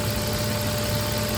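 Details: 2006 Nissan Xterra idling after crank-no-start repair: steady, even smooth low idle hum, no misses, knocks or surges; no check engine or warning lights.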